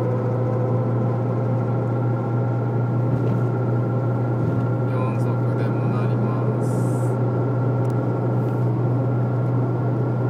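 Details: Citroen Saxo at highway speed under throttle: steady low drone from the front over road noise, easing off with load; worn left drive shaft, solved by replacing it.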